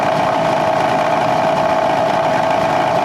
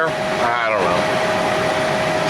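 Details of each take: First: Squarebody K5 Blazer heater blower motor, possibly original: steady droning whir at one even pitch with a rough hiss behind it. It is noisy with poor airflow, and a worn squirrel cage is suspected. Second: Squarebody K5 Blazer after a blower motor upgrade (VDO/Continental PM129 replacing stock PM140), engine started: steady, even fan hum with no scraping or ticking, blowing air well; normal blower motor operation.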